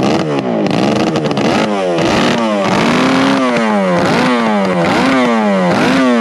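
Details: Kawasaki S1 550 four-cylinder motorcycle engine, first startup at a friend's house: loud, smooth revving up and down with clean rising and falling pitch, no knocks or misses; normal running.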